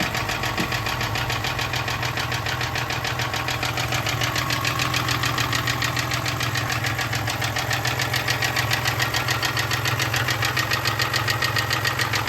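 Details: 1996 Toyota Tacoma 3.4 V6 (5VZ-FE) knocks steadily at low rpm, about three or four beats a second locked to engine speed, with very low oil pressure; rod knock.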